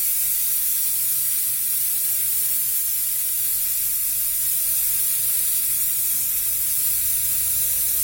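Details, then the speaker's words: Car tyre puncture hole deliberately enlarged with a drill for the bigger repair-screw plug; steady sharp hiss of air escaping without a break through the hole. "But I have the bigger plug, if you can hear me over the hissing"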